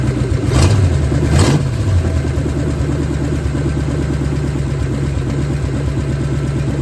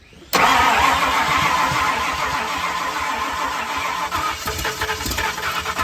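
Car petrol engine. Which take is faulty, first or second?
second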